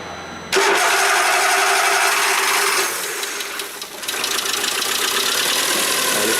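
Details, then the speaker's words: Peugeot 206 TU5JP4 first start after timing belt work with water pump and automatic INA tensioner fitted: brief crank, slightly slow as fuel returned, then steady even running, no knocks or belt squeal. "que combustível atrás então demorou um pouquinho a partida"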